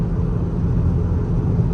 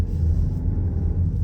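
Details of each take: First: Volkswagen Tiguan on the highway: deep, loud, steady droning rumble like a motorcycle alongside, with rough shifting; a worn front left wheel hub bearing drone, hub and transmission later replaced. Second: VW Tiguan after repair of noise, rough shifting and vibration with new transmission, pulling away and creeping without gas: low, even drivetrain rumble, no clunks or flare between gears; normal, smooth automatic shifting.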